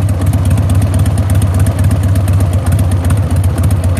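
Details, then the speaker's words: 1999 Harley-Davidson Sportster 1200, mostly stock, very loud exhaust, warming up and recorded on a phone: deep, loping V-twin thump at a steady, regular idle of about 1,000 rpm, even and strong; idling normally. "just give it a little time to warm up and it sounds pretty hefty. And that's just a regular 1,000 RPM idle."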